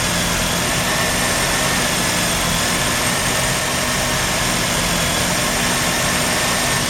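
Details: Mazda RX-7 rotary, failed annual inspection with very high CO (2.70): rough uneven idle under steady buzzy roar, shaking; misfire worst with slight throttle; no oil pressure shown, no leaks; ignition leads already measured; misfire, cause not yet pinned down.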